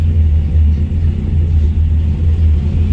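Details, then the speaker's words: 1965 Ford Galaxie 500, rebuilt 289 V8 with dual exhaust and Flowmaster mufflers, 96,360 miles, after body-off restoration: deep steady rumble with gentle lope, no knocks or misses; healthy V8 idle. "a nice sound to it. It's got a dual exhaust with Flowmasters."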